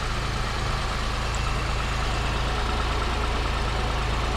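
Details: 2005 Pontiac Grand Prix, 3800 Series III V6, 235,000 miles, after replacing the lower intake manifold and water pump gaskets, warming up: even, steady idle with a smooth regular beat, no ticking or misses, and no leaks.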